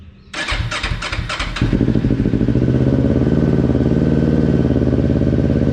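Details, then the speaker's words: Kawasaki Ninja 400 after replacing bent throttle-side handlebar: several quick starter cranks, then twin catches cleanly and settles into steady, raised cold high idle; throttle has couple millimeters of dead zone; normal start. "you can see it's got the high idle but when i turn this it's got that couple millimeters of dead zone before it starts going up"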